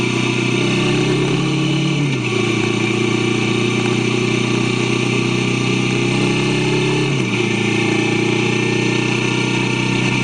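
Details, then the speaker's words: Kawasaki Vulcan S 650 after new chain and sprockets with chain properly adjusted: even idle with two clean blips rising and settling smoothly, no rattles or slapping; previously jerky, now smoother; normal idle and revving. "I thought I'll include this part just so you can really hear the power of the bike and the smoothness of it. New chain, new sprockets, properly adjusted chain makes a world of difference."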